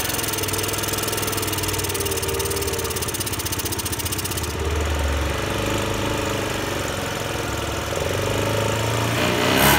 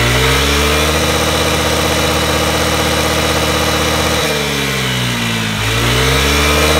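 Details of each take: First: Honda Today moped engine before treatment: runs rough and uneven, bogging instead of picking up when throttle opens; won't rev freely; carbon buildup suspected, engine conditioner tried. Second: Honda Today moped after engine conditioner treatment for carbon buildup: strong, even single-cylinder drone dipping and picking back up cleanly with throttle, no stumbling or misfire; running healthy.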